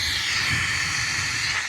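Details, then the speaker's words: Compressed-air venturi vacuum tool drawing coolant from a hose on a 1971 VW Super Beetle during a coolant hose fix, with the air valve opened then the suction valve. Loud, steady, high hiss of rushing air with no sputter: the tool is working normally. "Now you turn this valve on. Now you're creating a suction through this hose."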